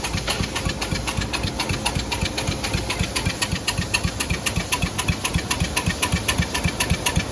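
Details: Cub Cadet mower engine started after draining oil and gas and refilling with new oil and gas; steady even putter about four beats a second with crisp ticking; settles into normal run.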